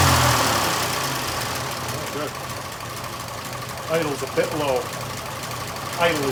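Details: 1926 Oakland, first run in 75 years on its own gravity-fed fuel system: slow, slightly uneven chuffing idle about two and a half beats a second; idling a touch low, mixture being readjusted, smoking heavily.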